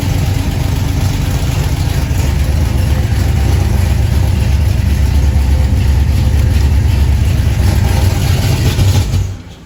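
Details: 1977 Chevy Camaro V8, just fitted with a new torque converter and Pypes Violator exhaust, warming up: deep, loud burble holding steady with a slight rev rise, then cut off, no exhaust ticking; normal warm-up idle.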